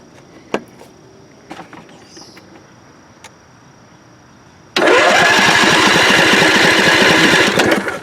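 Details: John Deere LA145 V-twin lawn tractor cranks at a steady, even rate for several seconds but never fires; spark confirmed at both plugs, fuel squirting from pump after blowing lines clear. Owner suspects fuel pump diaphragm, replacement ordered; unconfirmed.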